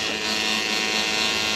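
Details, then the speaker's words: Schenker Zen 100 Touch watermaker on solar power, pump just started during the air-purge cycle after the pressurization valve step; steady high buzzy whine with a light gravelly hiss, mild cavitation from air in the system. "you can hear it cavitating a little bit so we got a little bit of air in the system and that's what the that's what this function is designed to do is remove air from the system"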